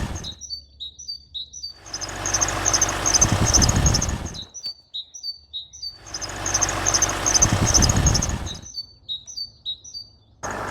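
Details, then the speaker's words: 2012 Range Rover L322 4.4 TDV8: quick, high-pitched eek-eek chirp about three times a second over idling and revving, not belt squeal, loudest near the aftermarket reconditioned alternator; alternator suspected, not confirmed. "It's not squealing belt. It's an eek eek. It sounds exactly like a great tit in the morning to be honest."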